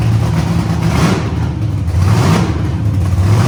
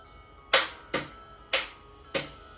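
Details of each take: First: First-ever start of the CLIK-B8 wagon project with painters tape over a manifold hole that made it run lean. It catches and settles into a steady, even idle with a couple of light throttle blips and no misses or stumbling, so it runs normally. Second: Battery-powered starter on a build being started for the first time, wired with homemade jumper leads on a brand-new, never-charged battery: four sharp single clicks about half a second apart, no cranking; solenoid clicks but starter won't turn engine, suspected insufficient power.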